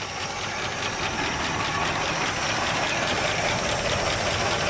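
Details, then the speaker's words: 1965 Chevrolet Bel Air, 283 V8 with Powerglide, first start after 27 years, cold and smoking; fast uneven lifter ticking and one plug wire arcing, probably skipping on one cylinder. "I hear one plug wire sparking off on this side. You know, you can hear the lifters, but I hear one for plug wire, so we know that it's probably skipping on one cylinder because of that."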